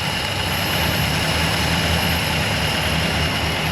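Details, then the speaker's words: 1964 Chrysler Newport V8, revived after about 22 years, just after carburetor rebuild kit, choke opening: smooth, even idle with steady low rumble, no knocks or misses; normal idle. "Happy, isn't it? Sounds like a Model A. So happy now."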